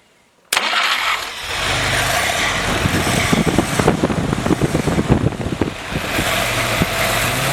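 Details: Freshly rebuilt, pre-lubed F-head four-cylinder in a CJ5 snowblower Jeep on first start-up, heard at the rear through the homemade muffler copied from the factory one; cranks briefly, catches and settles into a steady, throaty idle with even pulses. Normal start.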